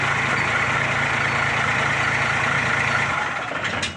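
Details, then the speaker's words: Hino Victor 500 ten-wheel truck with a 260 engine: steady, soft diesel idle with an even low pulse and a smooth whir. The earlier noise after starting is gone, likely from dust or a sluggish starter. "หลังจากการสตาร์ทครับผมลปรากฏว่ารถเสียงดังปกตินะครับผมหลังจากสตาร์ทแล้วบ่มีเสียงดังขึ้นนะครับผม"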